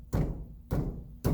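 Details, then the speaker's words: 2003 Toyota Corolla CE non-ABS: a worn front passenger press-in wheel bearing gives three dull thuds about half a second apart. It clunks over bumps and has slight play, and the bearing is replaced. "in today's video on the corolla we are dealing with a front passenger wheel bearing that is not too noisy but is making a clunking sound whenever the customer goes over any bumps listen to this"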